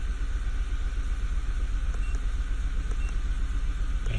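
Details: 2011 VW Tiguan 2.0 at idle: rough, loping idle with an uneven low thump about four times a second; cylinders 3 and 4 misfiring (P0300), coil swap confirmed a bad ignition coil; coils and spark plugs replaced.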